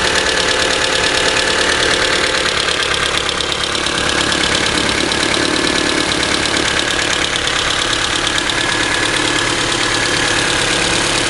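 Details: Idling engine with a fast, light ticking from the top of the engine/head over a bright, busy hum, still present after the valves were adjusted twice and the rocker assembly had been removed; cause unknown.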